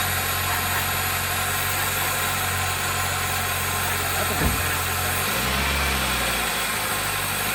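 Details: 2003 Toyota Celica GT with a 1ZZ engine, just revived after sitting: a steady, even idle with one short throttle blip and no knocking or misfire. Some smoke is blamed on rodent debris; the engine idles normally.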